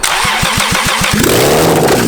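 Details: Toyota 2JZ engine from a Lexus, run outside the car on the factory harness, cranks about six even pulses, then catches and runs roughly with a harsh clatter; old bearings judged poor.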